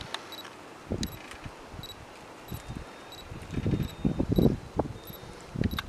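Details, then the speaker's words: Canon 50mm f/1.8 STM lens on camera: short high confirmation beeps each time focus locks, STM focus motor silent, quick quiet autofocus. "so as you can hear the STM motor you don't hear the actual lens focusing but you do hear the beeping"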